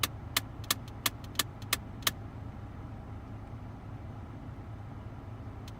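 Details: 2001 Mitsubishi Galant EA2A 2.0, weird clicking from the climate control that started suddenly on the highway: sharp rapid clicks about three a second over cabin hum, traced to a broken heater/cooling flap actuator.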